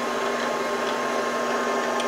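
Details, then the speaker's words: 4x6 inch import horizontal bandsaw during tune-up: a steady whirr with sharp periodic ticks as the oversized blade weld strikes overtight guide rollers, blade deflecting; fix is backing the rollers off until the ticking stops. "watch that blade see it deflecting a little bit that's where these rollers are too tight that's hitting the weld"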